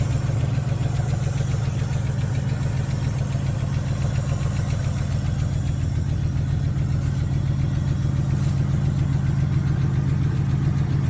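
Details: Dodge D150 with 318 V8 idling smoothly with a light, quick lifter tick riding over the low rumble.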